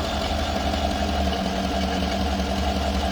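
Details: 2018 Chevrolet Suburban LS V8 that overheated, suspected blown head gasket, intake melted at cylinders 6 and 8 with vacuum leaks, check engine light on: low, uneven, lumpy idle like a cylinder missing; cause not confirmed.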